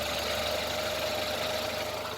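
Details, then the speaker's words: 2014 Renault Logan at idle, turning the steering wheel left: a thin, steady squeak and grind from a front ball joint whose grease has dried out. The joint itself is in good shape and needs lubricating, not replacing. "здесь проблема та же самая закончилась маска шаровые опоры да то есть подсохла на шаровая сама шаровая находится в хорошем состоянии"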